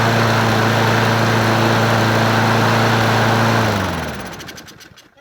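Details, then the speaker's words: Free Brute 22 self-propelled mower, 190cc 7.25 gross torque engine, model 7800887, with a sticky throttle: single cylinder thumps about four times a second, slightly uneven, then winds down; owner suspects a sheared flywheel key, not confirmed. "Why is it acting like it's got a shared flywheel key? It's not pulling it back on me."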